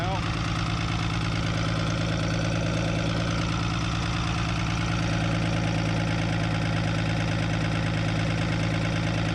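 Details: 1975 Chevy diesel stepside truck, second cold start after glow plugs, after sitting 32 years: heavy, lumpy low idle, uneven chug about three beats a second, shaking hard; smooths when warm, number one still bleeding, engine mounts suspected.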